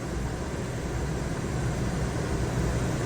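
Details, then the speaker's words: Ducted rooftop air conditioner on an auction-bought toy hauler RV, powered by the onboard generator: steady rushing airflow over a low even hum, no rattles or squeals; fires right up, moves lots of air, runs normally. "generator sounds pretty good that's running everything Let's uh let's fire up the air conditioner make sure that works fires right up"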